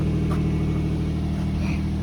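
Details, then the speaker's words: Nissan after DIY exhaust leak fix with bandage and tape: steady, even low idle drone with no puffing or ticking from the pipe; exhaust sealed and quiet, normal idle. "look at that we are mechanic so now the car is quiet we're ready for our camping trip ready to be stuck"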